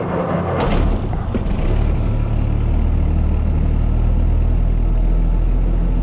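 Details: Engine unrun for years, on old fuel with choke, first start; catches and settles into a steady, even low idle with no knocks or misses, oil pressure coming up, healthy.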